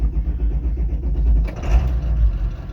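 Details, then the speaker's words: Vehicle started at the shop: engine catches and settles into steady, even low rumble with no misses, knocks or grinding — healthy engine start. "Nice, start it up, no problem."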